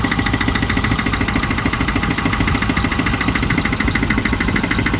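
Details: Range Rover Classic 3.5 petrol V8 idling with a steady, light ticking knock of about three beats a second; owner is unsure whether it is engine knock or tappets.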